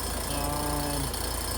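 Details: Two-ton heat pump not heating and running constantly: a low droning groan over the compressor's steady run, with low side about 50, high side about 350 and the liquid line freezing near 37°F; suspected improper charge or leak.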